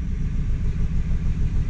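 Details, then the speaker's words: 2014 Hyundai Elantra with P0304 cylinder 4 misfire and low-voltage codes, scan tool actuation test disabling cylinder 1 injector at idle; idle turns lower, lumpier and more uneven from the dead cylinder. "let's do ourselves a favor and disable the injector for cylinder 1 if I do this it should cause the engine to idle even worse and it very clearly did"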